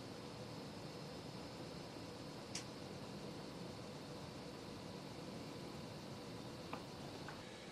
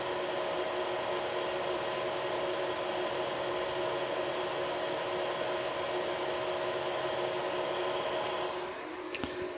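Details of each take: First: Creality CR6 SE 3D printer after its stock power supply and motherboard fans were replaced with Noctua fans; very low, even airy hum with only the hot end fan audible, about 52 to 42 dB; quiet fan running. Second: Creality CR6 SE 3D printer with stock control-box fans, mid-print, about 64–65 dB: steady, whiny fan hum with fixed tones. The X, Y and Z stepper motors are very quiet; the fans make the noise. Noisy stock cooling fan.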